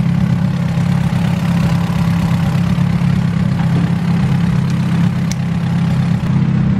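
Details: Hot rod on the dyno after the distributor timing was advanced to match the ECU. A steady, even idle hum with a constant low tone and no stumbles or pops; timing is correct and the idle is clean.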